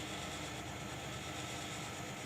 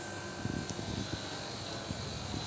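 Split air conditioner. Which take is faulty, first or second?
first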